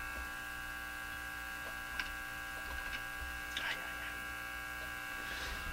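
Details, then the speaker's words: Japanese Zephyr Model 1 tube radio on dim-bulb tester after checking loose tube sockets: steady low hum with constant high whine and faint clicks; not the tube contacts, a tube still suspected, cause unknown. "Well, it's not the uh it's not the tube contacts. Could still be a tube though."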